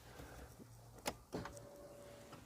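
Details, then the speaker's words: Nissan 300ZX Z32 twin turbo, key on with ECU-programmed relay and test light on its lead: key click, relay tick, faint steady hum about a second as fuel pump primes and stops; normal fuel pump prime. "we go the fuel the fuel pump ran you could hear the key and you can see that test light"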